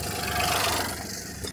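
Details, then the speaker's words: 2016 Peugeot 208 1.2 PureTech three-cylinder after wet belt replacement; started first time, previously struggled to turn: smooth even purr, no knock or stumble, then cuts off; normal idle. "that turn first time before it was like it was struggling to turn and now it's just purring so nicely oh I love to hear it"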